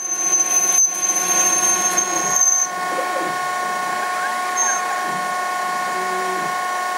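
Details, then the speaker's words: Denford ORAC CNC lathe with original G&M code control turning a 20 mm radius end on a 40 mm 6082-T6 (HE30) aluminium bar; steady whining with gentle pitch sweeps as the axes interpolate the final radius cut, normal stepper motor growl, then program completes. "there's no cutting the radius you'll hear the step is growling a bit that's the program completed"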